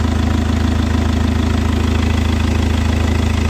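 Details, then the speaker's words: Chevrolet Captiva diesel that hit a 2000 rpm limit with engine and SVS lights and fuel pressure code P089, left idling 5–10 minutes after cleaning; even steady diesel clatter growing smoother and more regular; normal idle. "nanti semakin lama mesinnya akan terdengar semakin rata dan semakin halus"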